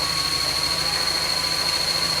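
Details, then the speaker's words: Audi S3 8L, sat nine years in a barn, first run after timing belt refresh and fuel priming: loud constant high-pitched squeal over the running engine; clutch release bearing squeal, clutch still engaging fine. "So, what you're hearing, guys, is a release bearing on the clutch. This is not a car you want to be changing a clutch off."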